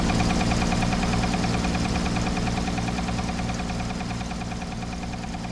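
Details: 1968 Toyota FJ40 just after a D40 carburetor overhaul: rough running with a steady repeating knock of about three per second that fades slightly as it settles. The carburetor works; the knock's cause is unknown.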